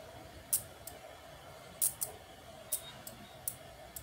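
Quiet room with sharp separate clicks at irregular gaps, the relay pulling in and dropping out as the sensor sees an obstacle.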